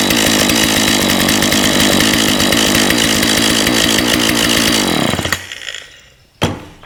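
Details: Husqvarna 36 chainsaw after cleaning a badly blocked carburetor and replacing a burst fuel line and missing fuel filter, running on 50:1 mix with choke still on. High, even two-stroke buzz, then shut off; good compression, runs cleanly.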